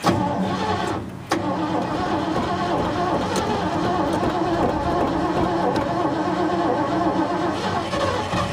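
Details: 1970s Ford truck after stalling and long cranking: engine catches after a stumble and is held at rough, uneven hard revs to clear it; flooded engine.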